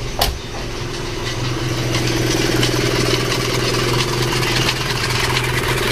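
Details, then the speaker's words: 1997 Isuzu Panther diesel with high oil consumption: a steady, even idle with a constant low hum and no misses or knocks, running smoothly; vibration reaching the body possibly from engine mounts. "gimana sebenarnya hidupnya enak juga ya"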